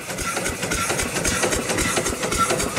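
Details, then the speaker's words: Rebuilt upright steam engine, first run in probably 80–100 years, with rusty, pitted rods; a little water still seeps. Regular chuffing about six beats a second, quiet with no knocking or hesitation: normal running. "might be a little loose really nice and quiet no Knocks poking out one time"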